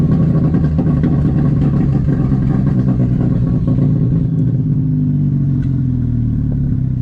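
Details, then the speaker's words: VW GTI with aluminum intake manifold (no runners), test drive after misfire fix: engine pulls cleanly under throttle, revs climbing smoothly with no stumble, popping, misfire or transmission slipping; normal acceleration. "And things were running great. I had absolutely no misfires, no transmission slipping."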